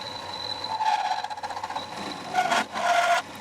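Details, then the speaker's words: Manual mill making a conventional cut, then a climb-cutting pass; a rough, buzzing cutter noise with a ringing high tone, heard as chatter. "Oh yeah, hear that chatter. So conventionally milling and then he's going back with a climb cutting pass."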